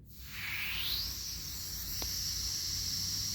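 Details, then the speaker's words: Generac 22K Guardian air-cooled propane standby generator, LP regulator outlet opened before fitting the gauge: initial hiss builds, then fades to a thin rush with less and less flow; restricted propane regulator. "So I get an initial shh, and then I get less. So that's telling me there's a restriction."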